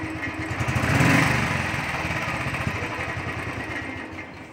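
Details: Royal Enfield Thunderbird 350 single-cylinder, after changing the butterfly to cure a starting problem and misfiring: restarted and ticking over evenly at a steady idle with no stumbles or missed beats, voices nearby. Normal idle after repair.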